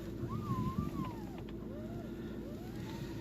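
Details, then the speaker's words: VW Tiguan 1 steering: a wavering squeaky creak that rises and falls with wheel movement over a low idle, with a few sharp crunches. Persists after the strut top mounts were replaced twice. "Вот это вот гул, скрип, короче."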